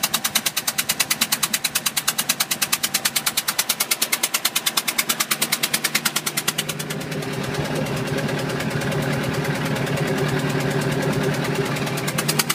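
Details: 2005 Bayliner 175 boat engine at idle: sharp evenly spaced knocks about three per second over the engine, staying steady; cause unknown.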